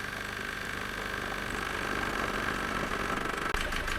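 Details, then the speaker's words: Diesel idling rough and lumpy with an uneven beat while injectors are unplugged in turn; it runs on only two cylinders. "that's running on two cylinders"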